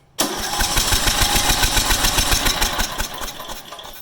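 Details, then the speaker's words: Riding lawn mower, carburetor and spark plug already replaced by owner, cranks but won't start: starter spins steadily at three to four turns a second then winds down without firing; spark test showed a very small, weak, inconsistent spark. "okay so in that case we saw a very small spark it looked really weak and it wasn't consistent"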